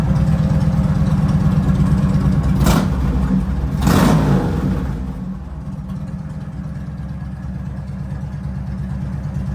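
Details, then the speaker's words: Harley-Davidson V-twin ("the Hulk"), fixed earlier, started right up: after two throttle blips, even loping idle about three beats a second with no misses; healthy. "well just to let you guys know I did get the hul fixed just got back from Michigan getting our new truck and the hul started right up there he is"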